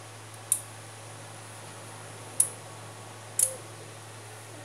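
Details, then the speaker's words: TS Shara SOHO II 800VA UPS after repair, with equipment and a lamp connected as load: three crisp relay clicks over low steady mains hum as it transfers to inverter and back; inverter and charger working well. Normal relay switching. "ator vai dar uma invertida agora voltou circuito inversor inversor tá funcionando bem"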